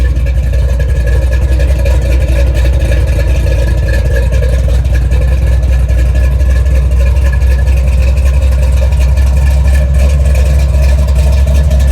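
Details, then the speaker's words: 1970 Chevy Nova big-block Chevy V8 at idle after replacing a failed water outlet O-ring with a paper gasket and RTV to fix a coolant leak, before road test; deep, steady rumble with even lope, no knocks or misses: normal idle. "yeah she sounds good and that big black rumbles nicely"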